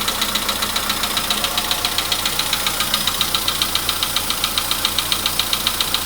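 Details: VW Polo Sedan (Kaluga-built), 99,329 km, cold start with oil level checked OK: loud, very regular sharp metallic knock about 2.5 per second at cold idle, "like an anvil"; internal engine knock worsening over time, cause undetermined.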